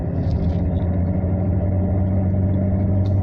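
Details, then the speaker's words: Vauxhall Omega diesel after fitting new injection pump seals, having run badly until the pump was loosened and tapped with a hammer handle: deep, steady, even rumble with no misses or knocks; normal running. "I loosened the pump I gave it a few taps with a hammer handle um don't Smack It with an actual hammer or you'll kner the thing up and then it seemed to start running nicely"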